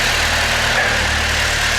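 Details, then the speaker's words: Volvo P1800 rebuilt engine idling in the workshop just after first fire-up, set up for idle only: steady, even idle with a smooth low hum and no knocks, misses or hunting; lambda about 0.9, acceptable idle mixture. "And there's our lambda. We're at idle mixture of about 0.9. I'm happy with that."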